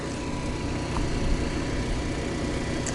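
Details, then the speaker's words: Generator built into a Coachmen 2890QB motorhome heard from a short distance, then stepped back: an even, steady drone with no knocking or surging, not loud; running normally and sounding healthy. "And yeah, it's not bad. It's not horrible."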